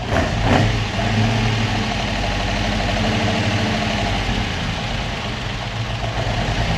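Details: Opel Manta hatchback with Ascona front end, after about 20 years stored, still on old plugs, idle being adjusted; ticks over steadily on its own with an even low rumble after a slight rev: normal idle.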